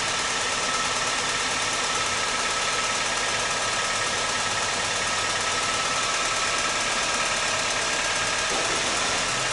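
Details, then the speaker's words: 2003 Honda Civic Hybrid idling petrol engine with a light, uneven tick about three a second, traced to a carbon-fouled rear spark plug; new plugs needed. "I'm feeling the back end spark plugs and the one that had the carbon on it is making a weird noise. That's probably where that sound is coming from."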